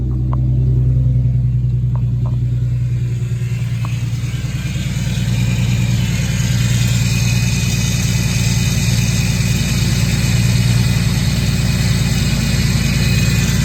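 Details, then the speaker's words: Infiniti G37 driving after snapped serpentine belt replaced with a new belt, new power steering return line and CZP power steering cooler fitted: steady even engine drone with light intake hiss, no knocks or whines; normal. "back in business everything feels fine it feels normal but there's just a slow-ass car right there you can hear my intakes it sounds pretty cool a little hiss"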